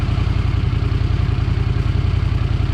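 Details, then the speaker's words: 1982 Honda Silver Wing GL500 after intake manifold repair, coolant leak fix and carb cleaning, heat-cycling at idle while the temperature gauge is watched: even, steady exhaust pulses about 3.5 per second, no stumbling or hunting; purring, healthy. "but I think we're all right so he's gonna purring now boy all right"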